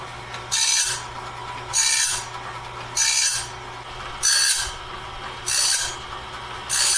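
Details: Clarke heavy-duty sawmill blade sharpener at medium speed, sharpening a 2-inch-wide, 223-inch bandsaw blade; rasping grind passes about every 1.2 seconds, each the same length and pitch, working normally and leaving the blade fully sharpened.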